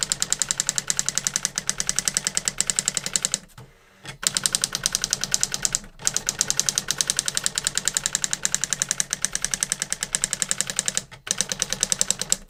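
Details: New-in-box circa-1985 Epson DX-10 daisy wheel printer printing a Windows 2000 generic text-only test page via printer port: rapid crisp regular hammer ticks in even bursts, short pauses at line returns; worked perfectly, normal printing.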